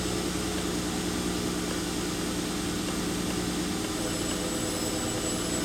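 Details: 2003 Mercury Sable 3.0 L DOHC V6 with P0171/P0174 system-lean codes, after repair, cold engine entering closed loop: steady, even idle under constant fan rush, no hunting or misses; fuel trims dropping toward zero, normal cold-start idle.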